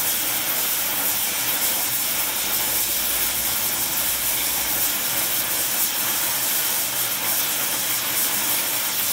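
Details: Welding with a small mixer torch on Air Products Integra oxy-acetylene cylinders (built-in regulators, flashback arrestors in quick connects), trying to set 4 psi on a 380 psi gauge. Steady, even roaring hiss, no popping or sputtering; normal clean torch flame.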